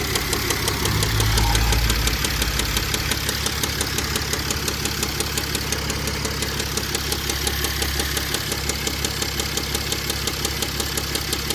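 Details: 2005 Mercedes CLS 320 CDI diesel at idle: sharp regular heavy knocking about three times a second; deep bottom-end knock, owner suspects rod bearing, unconfirmed.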